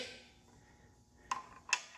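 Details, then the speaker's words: Toyota 2.4L/2.5L (2AZ-FE, RAV4/Camry) newly installed timing chain tensioner, crank turned clockwise by hand via crank bolt: two crisp metallic clicks half a second apart in quiet engine; tensioner ratcheting out normally, tension taken up. "It already was ratcheting out. All right. So, now we already got I'm missing. Okay, we already got tension on it."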